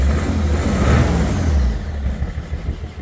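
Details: BMW 330d, M57 diesel, oil in the intake, turbo confirmed gone, down on cylinders with blow-by: revs roughly with an uneven lumpy beat, then sags and fades as the engine dies; blown turbo, melted pistons.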